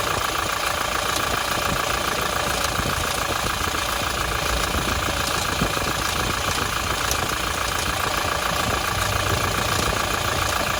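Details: Toyota Hilux 1GD-FTV diesel at idle, with a busy, even metallic rattle over the clatter. A worn timing chain needing replacement is suspected but unconfirmed.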